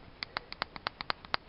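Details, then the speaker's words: Removed right tie rod end from a 2011 Renault Kangoo, moved side to side by hand: sharp metallic clicks at about seven a second from heavy ball joint play. "Слышно, вот в стороны стучит. Там идут такие вроде губок с двух сторон. А вот туда-сюда очень сильно болтается."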